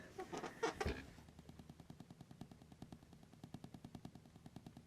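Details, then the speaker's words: JAT501 amplifier first board test, idling at 60 mA bias into a preamp: near-silent hiss with sharp ticks about five a second that change with hand position; wireless router interference. "just changing the position of my hand, I can change how loud those click sounds are."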